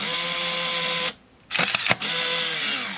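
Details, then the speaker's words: Olympus Infinity Jr 35mm point-and-shoot, automatic rewind at end of roll: high steady motor whine, brief stop with clicks, resumes as counter runs back; rewind motor working normally. "Okay, it's reached the end, so now it is rewinding. You can hear the motor running."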